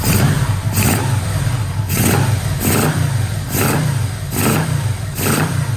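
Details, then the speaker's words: 1985 Vmax after carburettor rebuild, coils, leads, plugs, boots, first run, no air filter: crisp throttle blips about once a second rising and falling cleanly, no stumble or popping; normal throttle response. "well it's just running beautiful in that"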